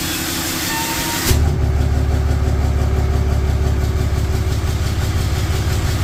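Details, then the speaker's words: Engine catches and settles into a steady diesel idle with no grinding, whine or knock on a 4th-gen Ram 3500 Cummins at first start after an HE351VE VGT turbo rebuild; actuator off, assembly lube used. Healthy. Small oil leak at the empty VGT sensor port; needs a scanner resync. "I think it's working. Boom, guys. Everything's working good."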